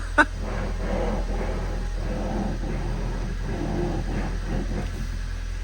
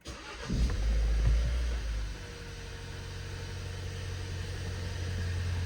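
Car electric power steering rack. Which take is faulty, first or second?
first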